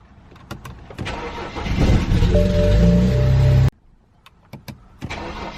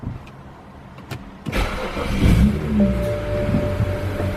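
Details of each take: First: 2008 BMW 335i E90, fuel pump not heard priming fully: starter churns about three seconds before catching, twice; intermittent extended crank, suspected from the original EKPM2 fuel pump control module, later replaced with an EKPM3. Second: 2008 BMW 335i E90, warmed up and idling steadily, warm restart after replacing the EKPM2 fuel pump control module with an EKPM3: short crank catches at once and settles into a smooth, steady idle with no stumble; healthy start.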